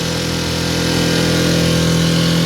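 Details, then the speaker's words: Mercury 4 hp outboard on a boat at full throttle, nearly planing, after no-start revival: steady buzzing drone creeping only slightly up in pitch; owner suspects low revs, unfamiliar with this outboard, not confirmed. "Got it floored. I don't hear the RPMs that I feel like I'm supposed to, but I've never owned this type of outboard."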